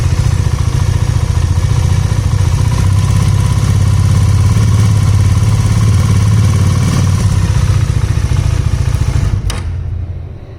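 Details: Ticking at idle on a 2019 Bajaj Dominar single-cylinder; loud idle with quick, slightly uneven metallic ticking about three a second until shutoff. Engine head later replaced under warranty; nominal ticking described as normal by design in 2019+ Dominar.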